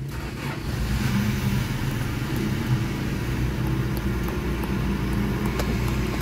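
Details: Fairly new Toyota Revo gasoline engine, distributor type, towed in for excessive noise, idling with hood open: rough gritty rumble with scattered ticks at the front of the engine bay. Source not yet diagnosed. Engine grinding noise.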